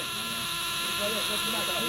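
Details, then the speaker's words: CNG (GNV) car: the gas selector box makes a harsh warbling, croaky electronic buzz, its LED blinks and the car won't start on gas; the cause was a broken ground wire. "Foi da partida nele e ela tá bom está desligada É mas ele não tá pegando o LED fica piscando ó ó e não pega no galho e o barulho que faz a caixinha"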